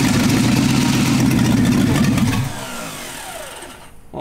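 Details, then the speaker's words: 1971 Jaguar XJ6 with a small-block Chevy V8 (believed Corvette), sat 5+ years, fitted with a new fuel cell, plugs, wires and oil, carbureted with a mechanical pump. On poured-in fuel it fires, runs rough for about two seconds, then stalls; suspected no fuel reaching the carb yet. "baby who wants to so bad but i'm sure it's just not getting fuel up there right now but uh we'll keep playing with it we'll keep playing with it we're close we're getting there hey it made noise it made a whole lot more noise than this thing is probably made in a very very long time"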